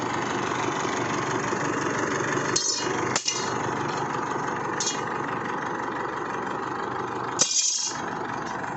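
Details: Isuzu Altera diesel with hard starting and stalling, traced to a defective fuel filter and suction control valve: quiet, steady idle with a few handling clicks, no stumbling or hunting. Normal idle.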